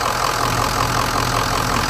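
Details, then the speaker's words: Diesel truck with an unresolved fault, started after sitting a couple of days (oil filter bone dry), idling with steady even clatter, no hunting or surging; runs good now, owner considering replacing the high pressure pump; normal idle. "sounds good it's running good what do you guys think"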